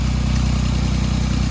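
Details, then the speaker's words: 2008 Jeep Wrangler after replacing the bad starter and battery: engine starts and settles into a steady, even low idle with no knocks, misses or squeals; normal idle. "all right please start oh yeah okay it's going"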